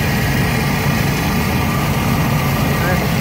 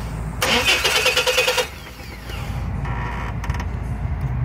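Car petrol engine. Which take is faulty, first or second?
second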